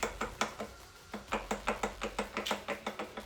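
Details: Yamaha YZ250F with suspected rod knock: sharp, hollow metallic knocks in uneven bursts from a worn connecting rod slapping in its bearing; it later seized, with a nicked piston and an exploded shim in the head.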